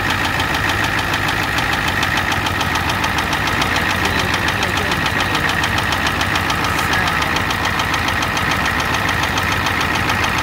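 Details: 1988 Ford F250 7.3L IDI diesel at idle: sharp, regular clatter about three knocks per second over a steady idle; engine knock with a high-pressure fuel line leak, white/grey exhaust smoke, smoke from the oil dipstick, oil in the add zone.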